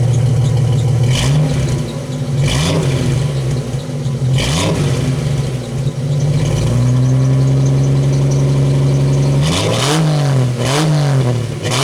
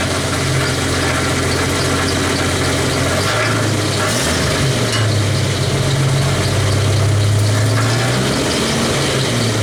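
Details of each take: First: 1991 Jeep Wrangler YJ after catalytic converter delete and new two-chamber Flowmaster-style muffler: sharp revs dropping to steady idle, deep even exhaust note, no rattle, a bit louder than wanted; exhaust sounds healthy. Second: 1991 Jeep Wrangler YJ at idle: fast uneven tinny rattle, about three or four a second, over a steady low idle; broken catalytic converter internals rattling, not a loose hanger, later removed.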